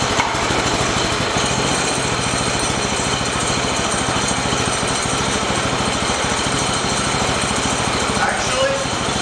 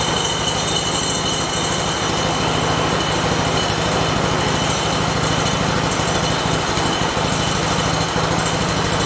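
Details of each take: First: Shop mini bike small single-cylinder engine after fixing a loose throttle bolt and refitting airbox: even, quick putter at low steady idle, no hunting or surging, idle no longer creeping; normal idle. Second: Shop mini bike, started after the chain was loosened slightly: light engine buzzes at a fast, steady idle but the drive keeps trying to pull; clutch suspected of engaging at idle, not confirmed.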